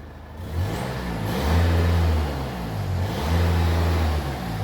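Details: Manual-gearbox Mercedes GLA after auxiliary/alternator belt replacement for a squeak: smooth even revs climbing and falling twice, no squeal or chirp over the drone; later squeak suspected from a carboned-up exhaust flap, belt drive sounds healthy.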